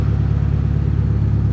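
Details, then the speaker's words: Subaru Forester built for the Gambler 500, loud modified exhaust at idle: deep, steady, even rumble with no ticking or knocking. Running smoothly. "hey that sounds pretty good I can actually hear it running now"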